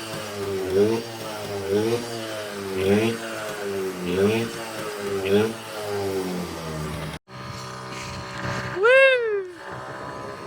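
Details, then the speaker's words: 1981 Yamaha QT50 moped with 60cc big bore kit, Chinese carb rejetted to 72.5 after wrong jet, riding about 28-29 mph: two-stroke rises and falls through repeated pulls with crisp clean buzz, no stumbling; healthy under load. "Yeah, dude. We're ripping. She'll go about 28 mph now."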